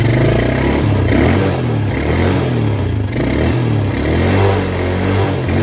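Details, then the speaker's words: Suzuki Quad Runner LT160 ATV single cylinder idle hunting and sagging about every second, stumbling then recovering, running out of gas again, not smoking; owner suspects carburetor needs cleaning. "I don't know how much of that is carb clean, but it's not smoking. So, oh, yeah, it's starting to run out of gas again."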